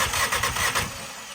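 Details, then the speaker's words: 2017 VW GTI cranking during compression test after P0302 misfire from a broken spark plug piece in cylinder two: even starter chugs about five per second, healthy; cylinders one and two read about 190 psi. "so we did that and then all I did was hit the start button and then that cranked over and we saw our numbers"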